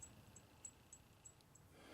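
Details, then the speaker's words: Thin steel dovetail indicator holder for a height gage, quenched in oil and still at maximum hardness before tempering: light taps give a short, bright, high ring that dies quickly. "now this guy is sitting in its maximum hardness you can hear how it"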